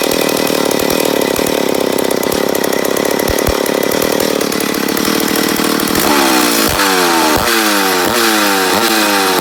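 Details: McCulloch Pro Mac 850 chainsaw, first start after rebuild: two-stroke hunting and surging, revs climbing and dropping in repeated waves; owner suspects an air leak on the flywheel side, not confirmed.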